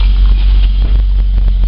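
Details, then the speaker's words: Holden VS Commodore after spark plug change, intake and throttle body cleaned, cold start high idle at tailpipe: even exhaust pulse, no missing anymore; suspected head gasket issue. "sounds a whole lot better see no missing anymore"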